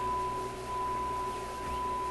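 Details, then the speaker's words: Grundig Type 238 W/UKW-I radio, dial at 800 with signal generator tuned to 800, after changing a capacitor: steady pure high test tone comes through clean and stable over faint hiss; set receiving properly. "Right on the money. Huh. And you know that sounds nice and clear."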